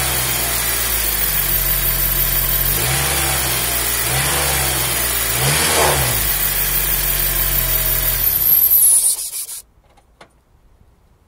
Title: honda civic whining sound.